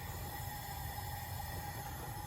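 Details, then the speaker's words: Honda B18B1 leak-down test showing 36% leakage on a cylinder (cylinder 1 at 20–23%, known ring issues, black plug on cylinder 4): steady hiss of air escaping from inside the cylinder; owner wonders about a blown head gasket. "Yeah, that's a cylinder. I don't know how good the camera's gonna catch that, but that's coming from inside of the cylinder."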